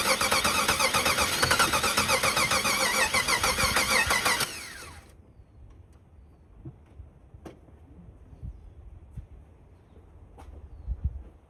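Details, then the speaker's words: 1991 Jeep Wrangler 4.0 L High Output that sputtered out and won't restart: fast, even cranking for about four seconds without catching, pointing to no spark; a failed crankshaft position sensor is checked via a dead tachometer while cranking. ">> So, since that's not working, we're going to need to make sure we've got spark. things that can cause no spark. One of them being the crank position sensor."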